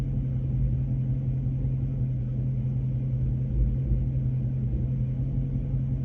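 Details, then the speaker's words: Dodge Charger Scat Pack V8 at operating temperature, revved slightly; steady deep rumble with uneven loping pulse, very rough feeling and vibrating; owner still hunting an engine noise, cause not confirmed. "okay it's just very rough feeling operating temp it's just vibrating away"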